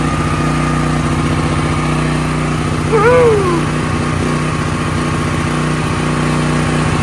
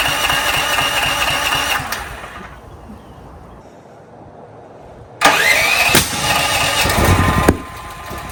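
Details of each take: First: Brand-new DuroMax XP13000EH dual-fuel generator on propane after replacing the spark plug with an NGK: smooth, even governed speed with no popping or backfires; running normally, spark plug change was the fix. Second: Brand-new DuroMax XP13000EH dual-fuel generator, break-in 10W30 oil, never started: cranks and catches roughly, then loud shotgun-like bangs. Backfire on starting from a faulty spark plug, fixed with an NGK plug replacement.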